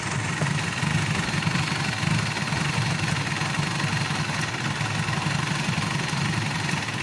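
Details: Mitsubishi Pajero diesel idling unevenly with a lumpy, hunting beat; keeps running only while the priming pump is pumped, then dies; weak return flow and back-leak point to low fuel injection pressure from the injection pump; injector and pump need calibration.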